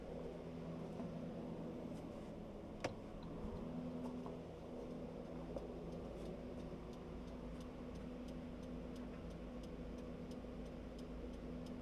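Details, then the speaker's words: 1999 Saab 9-5, home-made 3-wire to 2-wire trailer lighting converter using salvaged relays; running lights on, blinking left then right. Light regular ticking in step with the lamps; relays working, running light stays on. "they're both flashing for left relays clicking turn it to right relays clicking and the running light is still on"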